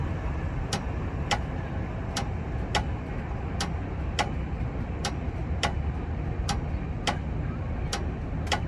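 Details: Railroad crossing gate after a new battery bank was installed, battery still charging: low steady motor rumble with a light regular tick about every 0.7 seconds, less grinding than before; gate raises smoothly.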